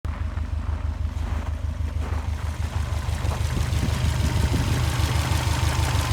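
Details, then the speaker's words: Свапнутый EJ255 на Subaru Forester SH9, first start after swap, at idle; light regular tapping about three per second over boxer burble, absent on an identical second engine; knock suspected to be a piston pin, unconfirmed. "слышен какой-то стук небольшой, но непонятно откуда. Просто вот слева от меня второй такой же мотор. Но здесь не слышно вообще никаких звуков."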